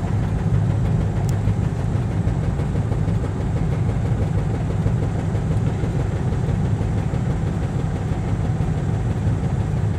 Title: 96 chevy s10 blazer cold start bad injector spider